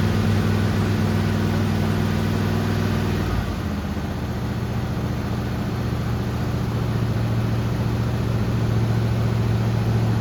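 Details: Grandpa's 1974 Chevy C10 after sitting about 5 years, fed by an inline fuel pump from a temporary tank: deep even idle that drops to a slightly lower steady pace and holds; idling cleanly.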